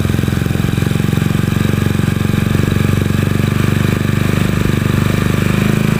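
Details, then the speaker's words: Honda Beat scooter with new PE24 carburettor during air-screw adjustment, turned left to find highest stable rpm: even, steady single-cylinder putter at settled idle with no hunting or stumbling; mixture set right. "kita putar ke kiri sampai menemukan RPM yang paling stabil dan gede"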